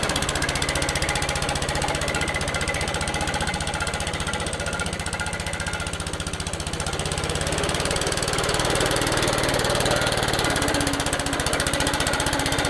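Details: Old Suffolk Punch 43S lawnmower, revived after being bought non-running, cutting grass: fast, steady single-cylinder beat holding speed, no knocking or rattles; normal running under load, later cut out from lack of fuel, carb clean probably needed.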